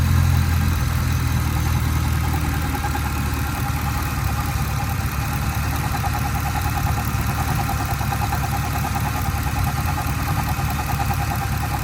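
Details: 2010 Camaro SS V8 at idle: deep steady rumble with a faint, uneven knock, roughly three a second; engine knocking at idle.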